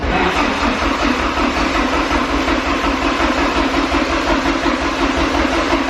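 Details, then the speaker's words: Porsche 944 sitting 10 years, freshly fueled, cranked on the starter for about a minute with DME relay pulled so it won't fire, building oil pressure; steady even chug without firing; it fired right up once the relay and fuse were reinstalled. "we're gonna go ahead and crank it try to get some oil pressure I did pull that DME relay - just to be safe so I'm gonna crank it for a minute"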